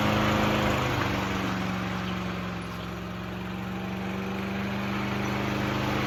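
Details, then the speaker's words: Craftsman 6.75HP self-propelled lawn mower after moving the bent throttle cable to the furthest forward hole to hold throttle wide open (previously not getting enough throttle); steady even drone at constant pitch, no surging; normal running at full throttle. "right, guys. It runs pretty good."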